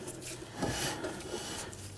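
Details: 1997-2006 Jeep Wrangler rear drum brake after installing a new hardware kit and adjusting the shoes. Hand-spinning the drum gives a soft, even dry rub with no grinding or catching, so the brake is adjusted correctly.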